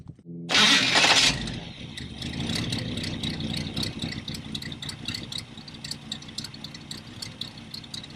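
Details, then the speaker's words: Engine just reinstalled after being pulled and mated back to the transmission, wiring still needing an overhaul: starter cranks briefly, engine catches and settles into a steady, even idle with light ticking on top; runs fine. "Wiring definitely needs an overhaul, but we got it set up to where it'll start and drive, or start and run and drive."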